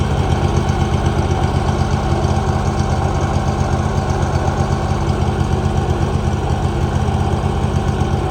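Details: 2018 Hustler Raptor SD mower, Kawasaki FR691V V-twin, just after head gasket and valve seal replacement, shroud off, choke off: even steady low-pitched idle, smooth regular beat, no knocks or misses; healthy.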